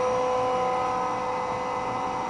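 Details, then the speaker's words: 20 hp twin-tower integrated rotary screw compressor running before its quiet, high-output cooling fan kicks in: steady, even hum with a few fixed tones, no knocks or rattles; running smoothly. "fan will probably be turning on any second here it's very quiet very high output fan"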